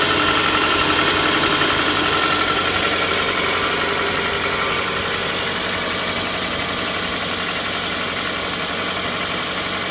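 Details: Toyota 2AZ-FE engine, 120,000 km, cold idle: steady, fairly regular knock about four per second over the engine note, gone once warmed up; source undetermined.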